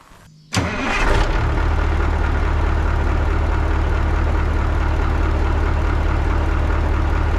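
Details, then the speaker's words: 1980 Peterbilt 359 EXHD with Caterpillar 3408 diesel, left sitting for years, catches instantly on the crank and settles into a deep, even, steady idle with no misses or knocks; healthy. "Holy shit, fellas. It just lights right off. hella sketchy. I can't believe the damn thing runs, dude."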